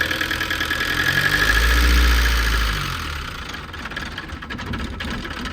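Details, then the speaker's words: Old Renault 4x4 timber lorry diesel after restart: uneven, lumpy low beat that sags and wavers; rough running, owners suspect poor diesel supply and think a lift pump would fix it. "I think with a lift pump, she'd run well. Just want some decent diesel supply."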